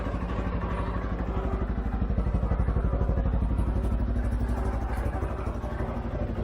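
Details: 2013 CFMOTO Z Force 6 after a fuel pump change, with 45 PSI and the filter primed but the tank probably low on fuel: even, steady thumping at about four beats a second with no misses or stumbles; runs really good.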